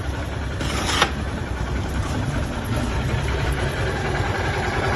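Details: 150 motorcycle that wouldn't start on the starter because of a bad ground and a burned starter relay; after grounding, the small single starts and idles with a steady, even low putter, no misses or knocks; normal idle.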